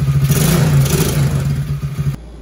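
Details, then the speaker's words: TAO 110cc ATV after a swap to a brand-new engine: single-cylinder revs up cleanly with a steady, even firing beat, then settles; no hesitation and much more power than the old low-compression engine; normal idle and rev. "There's no hesitation in that thing. Whoa. Yeah, I wouldn't do that before. No, I didn't have that kind of power."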